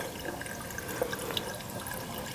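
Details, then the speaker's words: Furnace condensate drain line tied in with the water heater, with 3:1 vinegar-water poured in: light trickling and dripping flowing freely with no gurgle or backing up; the line is clear. "This particular one is clear, but that's just going to help keep that drain line clean."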